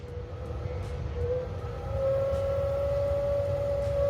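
A steady mid-pitched whine creeps up in pitch and then holds steady, with a faint hum underneath; the source is unconfirmed.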